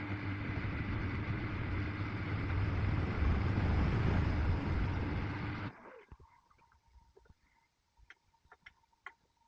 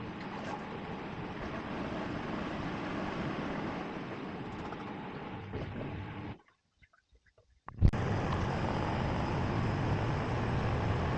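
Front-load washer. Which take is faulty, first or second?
second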